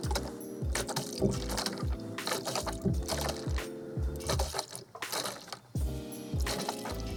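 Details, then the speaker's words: 2010-2019 Dodge Ram 5.7L V8 after water pump replacement, sat a couple hours after vacuum bleeding: squeezing the upper hose gives irregular watery gurgles and bubbling pops; a little air still trapped, only bleedable so far without driving. "still a little bit of air in it but there's a point you can only bleed it so far without driving it"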